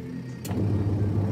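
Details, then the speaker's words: Denpoo twin-tub washing machine after repairing a seized, broken motor (dinamo), wash timer running: steady low hum with light clicks, no grinding or labouring, alternating direction normally. "Oke, kita putar timer pencuci ya. Mantap bro, dia harus bolak-balik ya."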